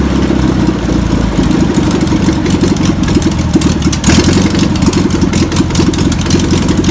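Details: VW pressed-bumper-panel bus air-cooled flat-four, revived after sitting over 50 years, fuel pump suspected bad (rebuild kit on backorder): catches and settles into a steady, even idle with a low throaty beat; runs fine on the old starter.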